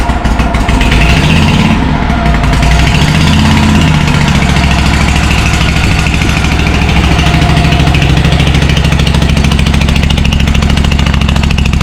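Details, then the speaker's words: John Deere M665 zero-turn mower after tightening a loose carburetor and replacing both exhaust manifold gaskets; very loud, rapid, harsh exhaust popping with a high-pitched edge over a heavy idle rumble; owner suspects a rotted-out baffle on one side of the muffler, or a hole in it. "Basically, what I think is the baffle in one side of the muffler has rotted out and is gone. That's why it still has that kind of high-pitch noise."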